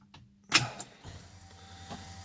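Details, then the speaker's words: 1969 Mustang with a new 410cui engine on fuel injection, cold start (not yet run that day): a relay click, then a faint steady electric hum for a couple of seconds as the fuel pumps prime normally before starting. "hear the fuel pumps activating now you can start it"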